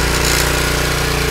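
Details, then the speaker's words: Honda snowblower engine running smoothly with choke fully off, after cleaning a plugged carburetor jet that had let it run only on full choke; even, rapid chugging at constant speed with no stumbles or surging. Normal running after repair. "as I took the choke down the engine started to smooth out as I took the choke totally off engine's running fine 100%"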